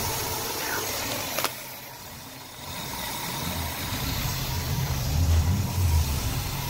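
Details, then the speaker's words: 1963 Cadillac Coupe Deville V8, first start after about 10 years sitting, rebuilt carburetor, fuel poured into the vents: rough idle sags and stumbles, then struggles back unevenly as the fuel runs out (fuel starvation). "oh it sounds like she's trying to get going a little bit there there goes the fuel"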